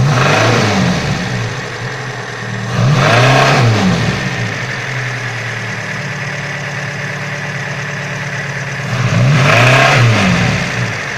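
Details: Engine knocks only when revving, with no knock at idle. Clean idle, then two quick revs bring a sharp metallic knock rising with rpm. The chain damper was found broken and replaced, but the knock remains; the cause is unknown.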